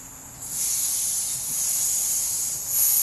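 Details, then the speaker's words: Husky C303H compressor, tank at 175 psi with the regulator reading about 140, after unsticking the regulator valve that had stopped air reaching the hose: steady high hiss venting in short steps that stop cleanly, with no leaking between releases. The regulator relieves pressure properly. "make sure that's working. And I'm stopping partway down to make sure it's not leaking air other than when I'm relieving the pressure on the hose. Seems to be working fine."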